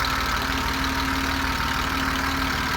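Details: BMW E34 with M50B20 six-cylinder, warm idle: steady idle with light quick tapping on top; the hydraulic lifters rattle once the engine warms despite oil changes, injectors also suspected; owner plans an oil pressure test.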